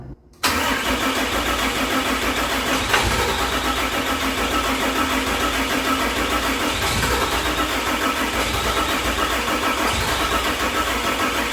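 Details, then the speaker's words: 600hp 6.7 Cummins-swapped hotshot truck on a jump starter with a low-voltage code and possible lost PCM communication: over ten seconds of steady, even cranking that never fires despite fuel arriving. Owner suspects the large injectors; cause unconfirmed. "Something is making it not start. Could be the injectors."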